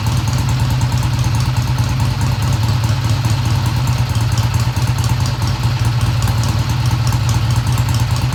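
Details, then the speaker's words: 1971 Triumph T120 first start with valves adjusted: steady even low idle, fast regular beat with light valvetrain clatter; idle ran fast at first then dropped; sounds healthy. "The idle sounded fast at first, but then it kicked down."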